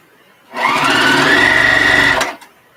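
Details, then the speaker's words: Sewing machine running a fast steady stitch rhythm with a hard clunk each stroke. Tension went off because something got stuck up top; it happens occasionally and the machine was due for oiling. "You can hear the clunking because that means the tension went off because something got stuck up here. This happens every once in a while."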